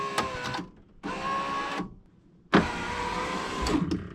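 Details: Driver's power window on a white Honda after reassembly, door panel hooked back up: steady, even motor whir in short runs, glass travels and stops cleanly with no grinding or binding; window works normally.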